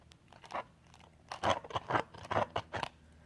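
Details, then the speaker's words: Klipsch KLF10 woofer played through an AVR 307 receiver: irregular scratchy crackles in quick clusters, as if the voice coil is falling apart; the paired speaker does it less. Woofer crackling, cause not confirmed. "like the voice coil is falling apart this one's also kind of doing it not as much though"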